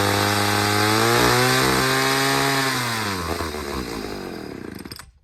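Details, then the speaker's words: Chainsaw test, freshly fueled, second saw in a row acting this way: two-stroke screams high and steady, then sags and stumbles as it dies; owner thinks it is running lean, cause unconfirmed, suspects the fuel. "all right so this is two saws now that are behaving like they're lean this is in a row freshly fueled two saws in a row that are doing this"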